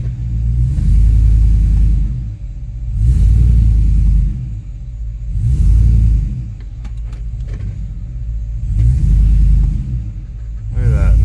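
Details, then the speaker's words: 2005 Chevrolet Tahoe 5.3L 4x4 that had been stalling and running rough, after repair. Engine swells and settles back four times, revving cleanly with steady idle, no stumble or stall. "let's see look at that how nice this thing is running it's like a brand new truck"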